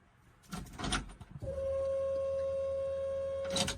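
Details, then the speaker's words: 1957 Chevrolet Bel Air with Holley EFI and Holley in-tank fuel pump plus bypass filter, heard in the cabin at key-on: a steady mid-high hum holds evenly for two seconds; owner finds the pump whine unacceptably loud. "Okay, that's just unacceptable. I don't want to listen to that. The whole point that I bought the fuel system that I did was to put the pump in the tank so it'd be like a late model car and be quiet."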